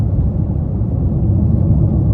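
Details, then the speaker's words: 2014 Chevrolet Impala at about 73 mph, tires at 36–37 psi: steady low road rumble with no hum, thump or shake on top; the earlier shake is gone, and the right rear hub bearing was also bad. "Nothing. No noise, no little shake that I was hearing, no nothing."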